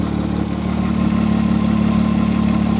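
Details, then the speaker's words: 1995 Nissan Maxima, fully warmed up: smooth, steady idle with a light, even injector tick on top, which is normal; engine sounds healthy. "fully warmed up sound you hear is the old inject your tick which is normal on all vehicles"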